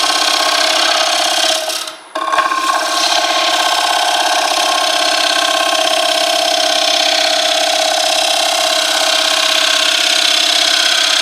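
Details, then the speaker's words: Wood lathe turning a flat box elder platter: harsh, raspy scraping chatter while cutting, a rough tearing cut instead of a clean hiss; the turner then manages to change the sound. "all right everybody who's watched my videos or any video about woodturning ever tell me what i need to do how do i change that sound"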